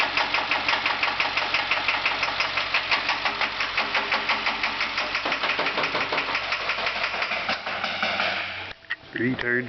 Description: International school bus with a broken injector tip